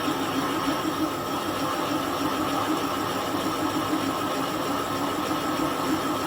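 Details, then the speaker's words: Kasto EBS 400 power hacksaw rebuild, boring a clamping-jaw seat for a new bush at 0.4 mm/rev feed, operator working blind by sound: a steady cutting hiss with faint uneven ticking changes as the boring tool hits the bore wall, then reverses out. "Okay, there sounds Like we're hitting the side of our bore. Okay. Reverse the machine. Come back."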